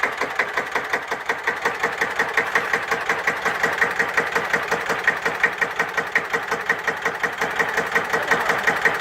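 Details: Deutz F1L612 tractor, 11 PS, 1954, air-cooled single-cylinder diesel, cold start after overhaul and repair for TÜV inspection: crisp, evenly spaced chuffs at steady slow idle, no knocks or misses; healthy idle.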